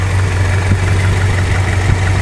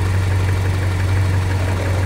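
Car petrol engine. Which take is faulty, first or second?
first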